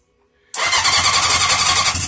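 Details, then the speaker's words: 1980 Honda CB750 project with spark confirmed, new not fully charged battery, fuel poured in by hand: after silence the engine catches and barks unevenly for under two seconds, then stops. Engine fires briefly on primed fuel. "You hear that? It was running. It ran for a second. That's awesome."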